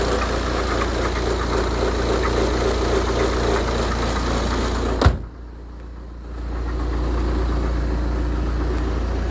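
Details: 2008 BMW 118d diesel idling with a steady rough, low throb, then a thump as it stops and settles again; abnormal engine noise at idle, cause unclear.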